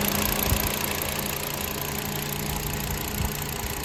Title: Cylinder misfire on VW Passat Jetta 2.5L - fuel injector o-ring is not sealing properly.